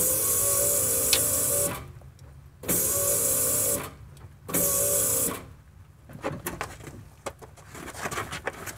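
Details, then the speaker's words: Truck fuel pump priming at key-on, microphone near the fuel tank: steady high whir for about two seconds each time the switch is turned on, then stops; fuel pump working normally. "pues Okay sí se escuchó el sonido Eh sí escuchó solamente quería que que supieran ustedes cuál era Cómo cómo sonaba Y bueno pues ya está trabajando la bomba"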